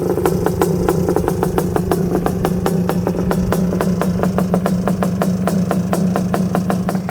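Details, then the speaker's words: Honda TRX250R two-stroke drag build with DMR Lynx cylinder kit and custom piston, during break-in: fast sharp ticking over lumpy idle; top end a little noisy, possibly piston chatter, though it runs snappy. "top end is a little noisy. It's got that custom piston in there, the one that I dip pulled and everything."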